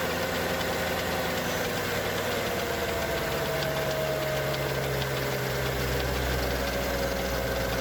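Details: Mercedes E55 AMG M113K supercharged V8 on cold start: steady idle with fast, light mechanical ticking from the left cylinder bank/head. It fades after 10–15 minutes warm. It began after switching 5W40 to 0W40 oil and 95 to 98 fuel. Owner suspects hydraulic lifters or timing chain.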